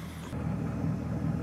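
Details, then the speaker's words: 2006 Chevrolet Silverado Z71, aluminum-block V8, checked for a clunk when stopping and a noise under hard acceleration; steady, even low idle rumble with no knocks, ticks or whine; normal idle. "sounds good and healthy ah all right next we're going to take it for a ride"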